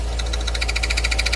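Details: Fiat Uno with a freshly rebuilt engine and new clutch: pressing the pedal at idle brings quick metallic chattering, about fourteen clicks a second, from a new clutch release bearing that had disintegrated.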